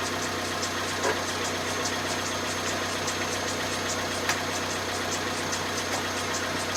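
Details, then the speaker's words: 2010 Vauxhall Zafira 1.8 petrol, about 140,000 miles, first suspected rod knock: light regular tick about twice a second over a steady idle with faint rubbing; owner suspects the water pump and possibly the timing belt tensioner or dampener, unconfirmed. "Right, so the conclusion is, I reckon, water pump, definitely, and yeah, so definitely needs the water pump, but I don't know if you heard from the bottom there, it sounds like that dampener, so it could well be the tensioner on the timing belt,"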